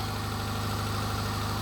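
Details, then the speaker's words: Subaru Forester idling right after an engine swap: smooth, steady idle with evenly spaced pulses, no ticking, knocking or rattles; timing not off, nothing loose or leaking, car runs and everything sounds good. "doesn't sound like anything's loose doesn't sound like anything's leaking try to all right here we are car runs see everything sounds good"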